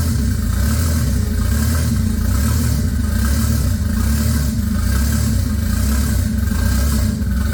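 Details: MK4 24V VR6 turbo build, first recorded startup after SAI delete, intake now routed through MAF and turbo: deep loud rumble, lumpy uneven beat, slight clatter when revved; runs rough, owner unsure if just the tune.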